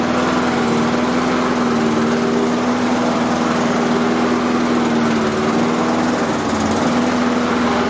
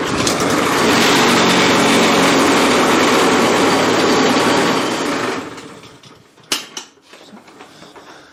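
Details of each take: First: Self-propelled lawn mower test run after fitting a new blade; the old blade was worn and possibly of the wrong profile. Steady, even single-cylinder hum at constant speed with no knocks, rattles or scraping from the deck; runs smoothly. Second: Self-propelled lawn mower at first start: engine screams at a steady, very high speed without settling back, then winds down. Overrevving; owner suspects the governor is not working, unconfirmed.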